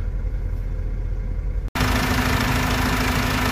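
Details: 2003 Nissan 1.9 diesel after crank-no-start repair, EGR valve suspected sticking, struggles to rev: steady, even idle with low hum and no knocks or misses after a brief break; idle sounds healthy.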